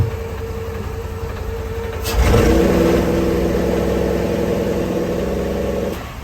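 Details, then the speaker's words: 1999 Tiara 2900 Coronet boat, Crusader 7.4 L29 MPI engine with MEFI 2 and HEI ignition: revved, it holds flat near 2800 rpm with a slightly uneven beat; the scope shows primary ignition cutting out, traced to a disconnected ECM ground. "Look, it's double striking some of them, so we got a primary ignition problem."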